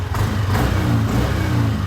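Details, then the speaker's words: Yamaha NMAX V2 scooter revved after repair of its engine knocking noise: revs up smoothly with an even drone and no rattles or knocks, likely a noticeable difference from before the repair. "okay. So siguro naman medyo malaki yung diferensya simula bago ko gawin kanina."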